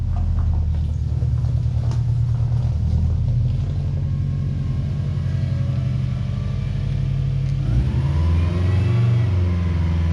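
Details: Project car idling and revving through an aftermarket exhaust of unknown brand: a deep, even, quiet exhaust rumble with a smooth rev change and no knocks, misses or rattles. The engine sounds healthy.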